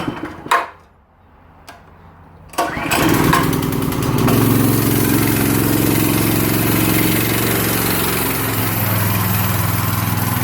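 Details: Yerf Dog go kart with Predator 212 cc 6.5 hp engine and max torque clutch: a couple of pulls, then catches, revs up and settles into even, steady idle; starts and runs fine.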